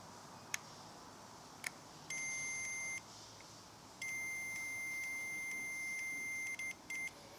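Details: Motorcycle switch (XJ650/CBX750 project) just resoldered, continuity tested with alligator clip leads: clean high-pitched tester beeps, one short and two long steady runs, show a solid connection through the switch; the repair holds.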